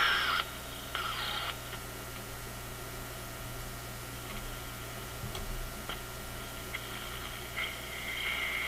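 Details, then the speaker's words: Zenith G615 tube radio (chassis 6G05, six tubes, no transformer) at first power-up, no antenna attached: soft hiss with faint whistles and crackles from nearby noise sources; the set appears to be working normally. "There's no antenna, so it's picking up the close range noise sources. Let's put an antenna on it. But it sure sounds like it's working to me."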